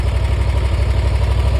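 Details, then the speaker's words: Dixie Chopper 2550 mower after no-start fixed, bad PTO switch found: starts and idles evenly with no misses, knocks or rattles. "Does what it's supposed to do."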